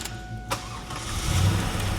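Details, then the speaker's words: Low-mileage 1997 Camaro SS with misfire from fuel left sitting, after injector cleaning; engine catches and revs evenly, steady low rumble with no stumble or misfire, much smoother; normal rev. "I'm anxious to hear how it sounds and then, you know, rev it. I want to see if it's nice and smooth now."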